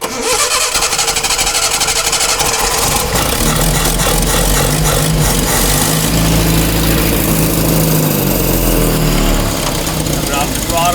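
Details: Datsun pickup with freshly rebuilt engine, just after the distributor was moved: it catches under throttle but stumbles and surges irregularly, never settling to idle, and dies coming off the throttle; ignition timing well off.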